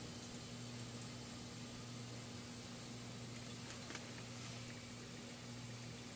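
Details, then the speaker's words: 1974 HydroTherm gas-fired hydronic boiler at season start-up in a 57° house, circulator pumps switched on: quiet, steady low hum with a faint water hiss and no rattle or grinding. Both circulators run normally and the pipes are warming. "Here we go. There we are. Both circulators are running."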